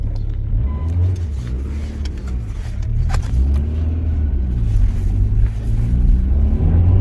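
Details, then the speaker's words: Rover after fitting new spark plugs to replace very old, stuck ones suspected of causing a rough idle; steady low rumble with revs easing up smoothly and no stumbling or misfire; normal running, almost a fix. "We're just about to see if it was the plugs that were at fault, because they could have been. It's difficult to tell. That sounds a bit better to me."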